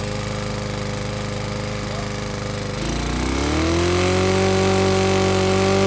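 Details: Briggs & Stratton small petrol engine revving with a hard, regular knock riding on the exhaust note: rod knock.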